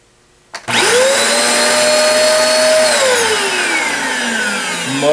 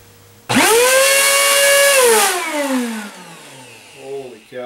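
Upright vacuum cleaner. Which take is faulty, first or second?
second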